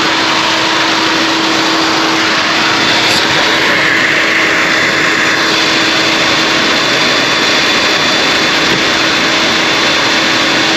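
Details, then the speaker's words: Cooling fans roar constantly on high with a steady hum, never cycling down, though coolant temperature is low and AC is off; fans should not run like that; cause unconfirmed. "I'll turn the AC off these fans are just blaring they should not be like that it's going crazy"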